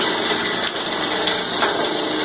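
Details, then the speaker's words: Cumberland granulator chopping about 10 pounds of copper wire. Dense, steady grinding clatter with some surging as wire rolls around, then smoothing out; normal operation under load. "And you can hear it surging as it's rolling it around. And it's smoothed out."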